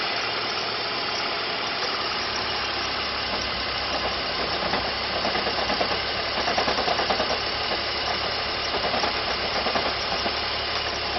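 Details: BMW 330ci E46 idling with the oil filler cap removed: hissy idle with a faint fast ticking that swells unevenly; abnormal engine noise, cause unclear.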